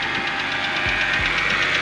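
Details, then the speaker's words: Wrecked BMW 325i E90 rebuild, jump-started cold after sitting in a driveway: quick, even metallic ticking about ten times a second over a steady idle; it wasn't there before and oil is present; the owner suspects the cold, cause unconfirmed. "you could hear the car ticking TI tick tick TI tick tick and I didn't do that before so it's got oil um I don't know maybe because it's cold"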